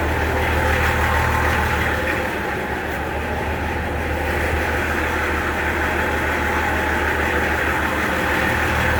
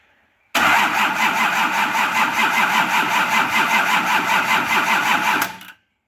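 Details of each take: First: Nissan LD28 diesel in a 40 series Land Cruiser, started after sitting unrun for years with a glow: even, steady diesel clatter at about three beats a second, no misses or knocks. Healthy normal idle. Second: Nissan LD28 diesel in a 40 series Land Cruiser, not run for years, injectors cracked to bleed air: steady cranking at about 2.5 turns a second with even compression pulses, never catches; fuel cut-off solenoid not energised, so no fuel flows.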